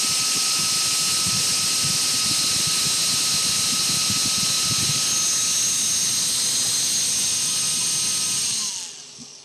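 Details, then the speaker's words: Worn, previously shorted brushed DC motor driven by a prototype 100A current-limited speed controller; steady whine under harsh crackling from heavy commutator brush arcing. "There's really a lot of arcing going on with this motor."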